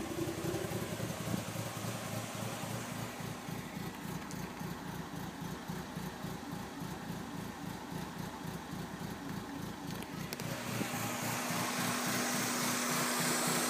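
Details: 1996 Mazda Miata 1.8L idling with uneven, lumpy beats pulsing about three or four times a second and a wavering low note; rough idle, cause unknown.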